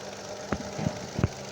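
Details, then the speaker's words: Chevrolet Onix LT 1.2 three-cylinder, newer model, dealer-serviced: uneven idle with irregular heavy thumps over a low hum, engine shaking; owner reports power loss, jerking, more vibration, higher fuel use; no scanner codes, oscilloscope checks coils; cylinder misfire. "lo que notó esta última vez es que el vehículo perdió potencia, que tironea, que está como más tembloroso de lo normal el motor, que está consumiendo más combustible."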